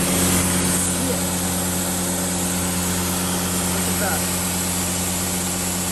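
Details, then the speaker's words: 2007/2008 Dodge Sprinter diesel warming up for a DPF regeneration run from a Star Diagnostic: steady idle with a constant airy hiss over the clatter from underneath, heavy smoke. A really bad exhaust leak at the bottom. "I can definitely hear hissing at the bottom. Oh yeah, I can not only hear it."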